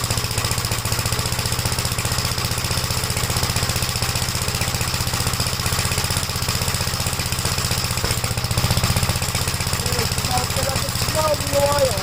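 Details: 1956 Gravely L single-cylinder tractor on cold start: fast idle with uneven, stumbling beats, smokes on each restart and smooths out when warm; head gasket already replaced and valves adjusted, cause unknown, rings suspected.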